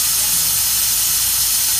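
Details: 2004 diesel truck with hot no-start, tested with engine off: steady sharp hiss of escaping air heard above the number five injector; high-pressure oil system air leak at injector.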